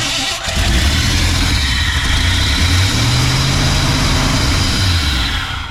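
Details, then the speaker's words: 1968 Ford F100 after 4-barrel carburetor conversion and timing chain install: cranks and catches, then idles unevenly, surging and sagging, from a vacuum leak traced to a thumb-size hole. "that is an issue with a vacuum leak somewhere crazy we figured out where our vacuum leak was coming from didn't we old man yeah about a thumb size hole"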